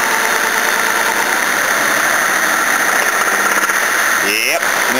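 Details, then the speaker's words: Toyota Cressida engine, warmed up after cooling system and radiator work: light rapping knock when free-revved or decelerating off load, absent in gear under load; owner plans to pull the sump to look. "it doesn't do that underload so if it's in gear and you're driving along it's fine it's only when it's not underload or you free Revit"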